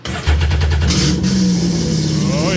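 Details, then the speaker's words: Sea-Doo XP X4 with Spark ACE 900 4-stroke swap, start without water, limp mode shown: fuel pump primes, cranks briefly, fires quickly into smooth steady idle; runs and sounds good. "It runs. It actually sounds really good."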